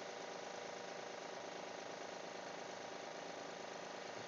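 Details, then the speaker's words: 2012 Honda Pilot cold start after two weeks sitting, serpentine belt reinstalled, steady tick about three per second; owner suspected idler tensioner pulley, now thinks lifters, stops once warm; cause unconfirmed. "almost sounds like lifters once it warms up it stops definitely sounds better than what it been"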